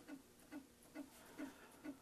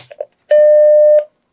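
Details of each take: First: Macintosh Plus powered on: even chirping tick about twice a second, no steady hum; power supply repeatedly tries to start and shuts down. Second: Macintosh Plus under repair, powered on with its floppy drive temporarily hooked up. A single clean, mid-pitched bong rings for under a second; normal startup chime from a working speaker.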